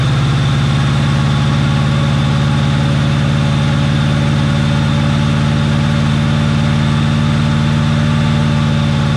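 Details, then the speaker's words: 1988 Ford Mustang GT T-Top 5.0 after long storage, running on siphoned gas: steady, even low idle drone with no misses, knocks or surging; smoking out the shop but running under its own power, alternator charging. "we're smoking out the place but the car is running under its own power the alternator is even charging which is nice to see"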